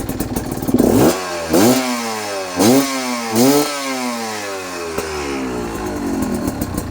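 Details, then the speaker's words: Cheap Chinese BNK 2-stroke enduro bike with a VForce reed block and the original carburettor re-jetted: four quick throttle blips rise cleanly and fall back to a crisp ring-ding idle with no mid-range stumble; normal, healthy revving. "Absolutely instant acceleration. Wow. I'm looking forward to getting this out on the road very soon."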